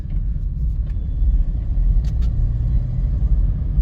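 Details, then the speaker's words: VW Up! TSI (EA211) under steady throttle while driving: deep, uneven puffing rumble like a holed exhaust, louder under load, is air leaking at the turbocharger; replacing the turbo is considered. "Bora rodar tão escutando parece um barulho de de cano furado né de descarga furada é esse barulho aí que o dono do carro tá reclamando tá aí atormentando ele"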